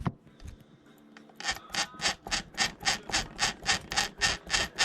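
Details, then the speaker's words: Losi 8ight buggy rear bearing turned by hand: dry metallic rasp, scraping about three or four times a second; metal on metal, rough bearing. Owner suspects it just needs grease, not confirmed. "hear that metal on metal maybe it just needs some grease i don't know"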